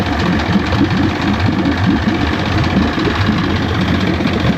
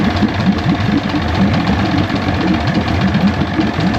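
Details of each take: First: 1973 Johnson 65hp outboard (65ELS73R) idling after years of sitting. Idle is loud and lumpy, smoky, with a steady churning, pump-like drone underneath. The cause is unclear. Pump-like noise at idle. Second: 1973 Johnson 65hp (65ELS73R) two-stroke outboard idling after years of sitting, once a bad solenoid was dealt with: choppy, uneven low burble and rough firing but running steadily on its own, smoking.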